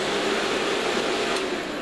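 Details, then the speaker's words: Two fans in a valve PA amplifier airbox moving about 79 cfm through the anode radiator, around 4 cfm less than before: a steady even rush with a faint hum and no rattle; quieter than before, expected quieter inside the case. "alright still reasonably noisy its I think that's that's a good bit quieter than it was and once that's inside this is god Susan of airflow once that's inside the amplified case is going to be quiet"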